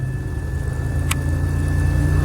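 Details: 1999 Pontiac Grand Prix just after in-tank fuel pump replacement, no leaks found: steady even low idle with no stumble or surge, faint constant hum; engine running normally.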